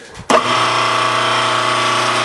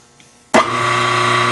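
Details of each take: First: Grizzly G4003 lathe motor running with belts removed: steady hum with a harsh metallic rattle; cause was a loose motor pulley, set screw opposite the key; quiet once tightened. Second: Grizzly G4003 lathe motor run with the belts off, after tightening its loose pulley: it switches on and settles into a steady, even hum with no rattle. The set screw sat opposite the key. Normal run, rattle fixed.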